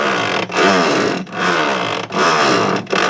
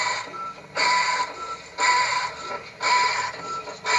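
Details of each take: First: Electrolux washing machine agitating during wash: whirring strokes reversing about every 0.8 s with brief dips; normal wash agitation. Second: Washing machine (Consul, Electrolux or Brastemp type) agitating: a harsh rattling clatter in bursts about once a second with each agitation stroke. Worn, knife-sharp drive part suspected; if strong and constant, the motor bearing may be at fault. Washer noise during agitation.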